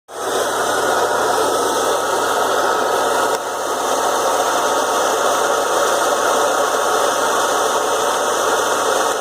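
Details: BMW E36 M3 idling, noticed after a 2-hour drive: a loud, steady grinding rasp, confirmed as a failed AC compressor plus its pulley, probably damaged by play in the compressor.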